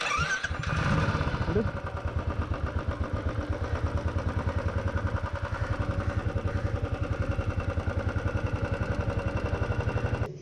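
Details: Royal Enfield 350 Thunderbird with a bogging and pickup problem, after carburetor cleaning: catches quickly and settles into a steady, deep thumping idle with no stumbles until switched off; bogging resolved.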